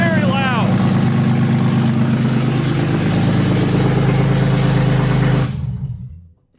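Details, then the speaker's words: BMW E36 with a swapped M52 inline-six on its first start, throttle not yet connected and idle control valve working: a deep, loud, even exhaust drone settles to a steady idle on all six with no knocks, then shuts off cleanly. Normal running, loud exhaust. "all right so it runs it's almost 9:00 so it's my one fire up for this evening but runs doesn't make any noise other than exhaust sounds like it's on all six we'll call that a success"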